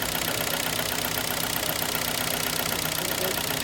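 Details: 2011 Kia Sportage, 2.0 G4KD petrol engine: a steady, hard knock, worst when cold and still there after five minutes of running. The borescope shows scored cylinders with aluminium transferred from the pistons, so the engine is finished.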